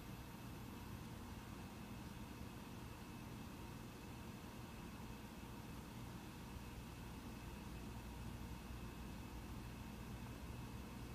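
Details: Mac Pro 1,1/2,1 under benchmark load: soft, even fan hiss with faint steady hum, no ticking or rattle, slight ramp in the last half minute; normal fan noise.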